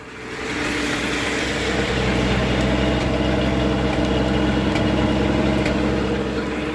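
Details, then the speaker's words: 1974 Ford F-250 Ranger SuperCab, 4.9 straight six, snowstorm cold start without starting fluid: steady, slightly lumpy fast idle on the electric choke's high idle, running rich; owner wonders if it is leaking a little. "you just sometimes you gotta yeah running rich it's fine it off the high idle"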